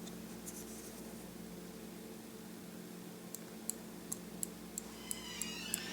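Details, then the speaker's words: 2013 Mazda6 (GH generation, with random alarm activations) hood latch, hood open, latch worked by hand: quiet hum, then sharp light clicks about four per second; the latch armature isn't travelling far enough to close the switch, and the planned fix is bending the arm. "now what's happening is that this thing is not going far up enough close the switch"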